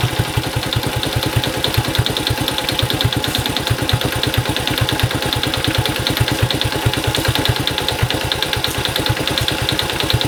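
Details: Honda Cub small single, 65,000 km, checked for abnormal engine noise with compression test: rapid, even valvetrain-type ticking on top of a steady idle; source not pinned down.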